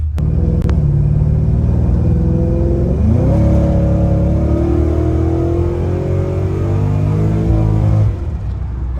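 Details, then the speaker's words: Pontiac GTO with a 4L60 automatic that had been failing, on a test drive after a battery change: under throttle the engine note keeps climbing with no drop, refusing the 2-3 upshift; owner guesses the clutch basket and clutches need replacing. "the second problem right there you see that on the trends how it uh it won't shift that was a two to three shift so we gotta have to change the clutch basket with some clutches i guess that's the problem also with these um 4l60 transmissions"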